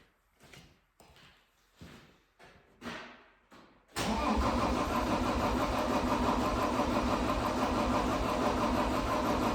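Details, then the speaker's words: 2012 John Deere 333D skid steer, reman long block diesel, first start using ether: slow cranking bursts, then it catches and runs rough, smoking black and throwing a code; misfire after start, cause unconfirmed. "empty fire for just a little bit but it it wasn't sounding right and it was starting to smoke black"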